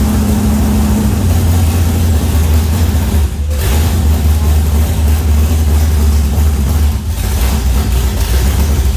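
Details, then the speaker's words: Freshly built V8 in a one-tonner build, very first start with a new drop fuel tank; deep, steady rumble settling to an even idle, no knocks, ticks or misses, timing sounds spot on. "Alright. That game's not bad. That sounds alright. That's good."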